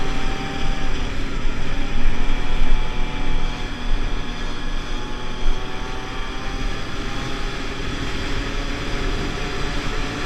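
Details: Pulse Force 50cc two-stroke road test after fuel-starvation fix, GoPro on bike, 14-stone rider, hitting 37 and still picking up. Crisp buzz climbing steadily in pitch, no stumbling, heavy wind rush; normal acceleration.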